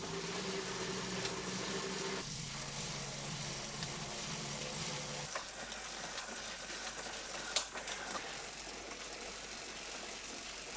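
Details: Wahoo KICKR ROLLR, SNAP, CORE and KICKR V5 2020 played back-to-back in easiest gearing: low steady hum and even whir, note shifting as each trainer takes over; all smooth and quiet, no rubbing or knocking.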